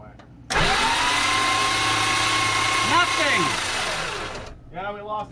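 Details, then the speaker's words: 1974 Dodge W200 pickup with 318 V8: starter spins engine evenly about four seconds, never catches, sounds fuel starved; no accelerator pump squirt, only fired with fuel poured in; old fuel pump suspected failed, float stuck also considered. "yeah it sounds like you lost a fuel pump all right which i am not surprised about no not considering how old it is"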